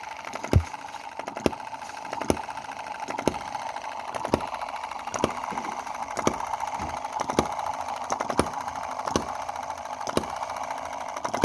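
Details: Cheap Chinese M19/EM2 model hit-and-miss gasoline engine after carb and spark plug cleaning and valve timing adjustment; sharp firing pops about once a second over steady mechanical hum, evenly spaced; running well.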